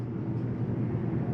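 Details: 2023 Jayco Eagle HT 280RSOK trailer, main rooftop AC just switched on: steady, even low blower and compressor drone with no rattles, squeals or cycling; running normally.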